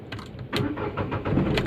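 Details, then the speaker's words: Renault Kwid after fixing a no-crank, no-start fault traced to the key cell: key click, brief crank, then the engine catches promptly and settles into a quiet idle; normal, healthy start with the fault cleared. "वो गाड़ी मेरा start हो गया normally आप देख सकते हो बहुत अच्छी तरीके से स्टार्ट हुआ है कोई भी ऐसा प्रॉब्लम नहीं ए रहा है"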